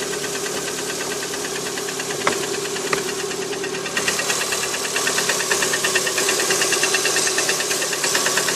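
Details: Lada Priora 126 engine, cold idle on a 10 °C morning: steady hard metallic knock about three times a second; piston slap, knock disappears with cylinder 4 coil removed; repaired, no knock afterward, sold at 100,000 km.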